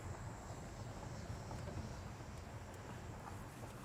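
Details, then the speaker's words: Mercedes CLS 400 M276 engine after replacing the passenger-side camshaft and cam phaser: smooth, even idle with a soft steady hum. The earlier rattling/clunking is gone, though the check engine light is still on. "The engine sounds good. No more clunking noise."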